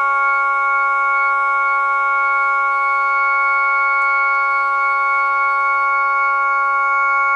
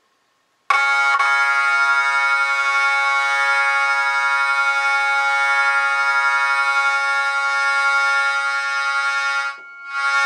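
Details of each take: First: Jensen V21 compression driver in a Leslie speaker, fed by a Leslie 122 amplifier and 1963 Hammond B3 organ, after resetting the diaphragm: steady organ chord rings clean and even with no buzz or rattle; normal output. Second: Jensen V21 Leslie upper compression driver, fed by a Leslie 122 amplifier and 1963 Hammond B3 organ, holding a steady organ note with a raspy buzzing edge; the diaphragm is rubbing and needs resetting.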